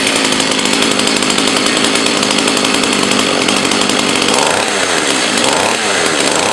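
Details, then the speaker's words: Partner Formula 60 Plus 49 cc two-stroke chainsaw after carb high/low adjusted by feel; loud buzzy idle sagging and losing speed toward end; idle dropping, owner unsure why, suspects low needle needs more fuel, also suspects slight crank seal leak. "Maybe it's going down a little on idle. I'm not sure, and I'm not sure why, if that is the case. Maybe it's just need a little bit more adjustment on low, give it a little more fuel"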